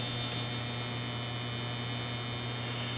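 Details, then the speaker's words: Desktop gaming PC with side panel off: steady low 60 Hz-like hum over fan hiss, first blamed on the five-year-old Thermaltake PSU but traced to vibration in the loose hard drive enclosure. "But instead of the power supply, I believe it's coming from the hard drive enclosure."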